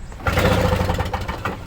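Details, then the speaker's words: Toro Snow Commander two-stroke snow thrower after brake cleaner was sprayed in, choke off: a short pull-start gives a few ragged pops and sputters that die away without catching. The owner suspects it may be flooded from the added two-stroke fuel. "oh it sounds like i wanted to do something i don't know if i shredded it before it sounds like it wants to do something"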